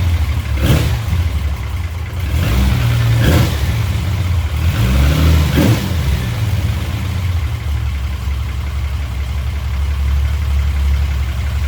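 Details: Chrysler VIP Hemi 245 six after an ICE ignition install (timing 16° at idle, curve from 1000 to 2900 rpm). A smooth, even idle with three clean throttle blips that rise and fall crisply; normal running.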